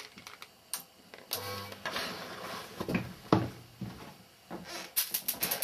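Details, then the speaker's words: Panasonic TX-32PD50 32-inch CRT TV, about 5–6 years old, on switch-on: irregular sharp snaps and crackles like high-voltage arcing. Owner suspects a failed regulator circuit pushing voltages too high. "I think one of the regulator circuits is packed in because it sounds like some of the voltages have gone too high it's crackling and the last thing I want to do is start poking and prodding around in there when it sounds like it's about to go bang as you'll hear when I switch it on"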